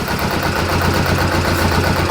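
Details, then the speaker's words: Kawasaki ZZR250 twin at tickover after the clutch basket rebuild with new bushes to cure the low-rev clutch knock: smooth, even low beat where it would normally knock, now no knocking, a normal idle. "Listen to that. Normally that tick over it would be knocking. Perfect. So I'm happy with that."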